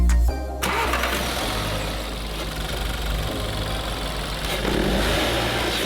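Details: Salvage Audi A3 S line 1.4 turbo after front-end rebuild, newly fitted performance air filter: engine catches quickly, settles into steady even idle, then picks up smoothly with a light rev; runs clean, no knocks.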